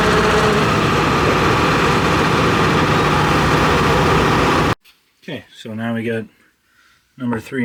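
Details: John Deere 245G excavator diesel after emissions delete, all injectors connected: steady rough idle with coarse uneven knock; number 3 injector suspected over-fuelling, black smoke under load cleared when unplugged, before replacement.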